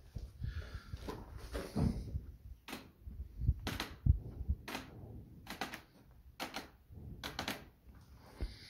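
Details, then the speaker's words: Schleicher K21 glider tailplane, tip flexed up and down by hand: irregular dull creaks and cracks because the resin bond between tailplane fitting and spar fitting bolts has broken, likely from overstress such as a heavy landing or grounding. "it's quite easy to spot it you just quite simply go to the tip and put a few pounds of pressure on the tip up and down and you immediately hear the tail plane creaking"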